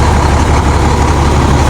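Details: International concrete mixer truck, diesel, not started in about 4–5 years, idling after an alternator fix: steady, even low idle with a smooth rumble, no knocks or misses; voltage check shows the alternator is now charging.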